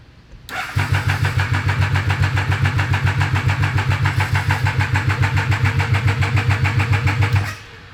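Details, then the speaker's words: Abandoned Triumph 955cc go-kart project cranking; steady cranking about 3.5 beats a second with brief firing that never catches, fires but won't keep running; suspected flooded, plug and fuses to be checked. Fires but won't keep running. "oh I'll crank it again uh she's gonna fire but it ain't gonna run long"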